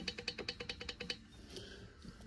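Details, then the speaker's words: Stihl MS 261 C-M chainsaw that makes noises when starting, engine turned by hand: quick, bright metallic ticks as the piston rings knock in their grooves, either rings too narrow or grooves worn out. "das heißt die Kolbenringe sind entweder zu schmal oder der Schlitz wo die Kolbenringe eingelassen sind ist ausgeschlagen also eins von den beiden wird sein und das macht hier wie man sieht das metallische Geräusch"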